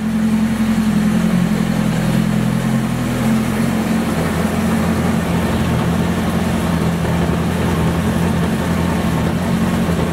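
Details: Homemade side-by-side after new hardened heavy-duty axles and an added driveshaft support bearing: low even engine drone with smooth driveline, no clunks or rhythmic thumping; driveshaft vibration fixed, slight wobble still visible.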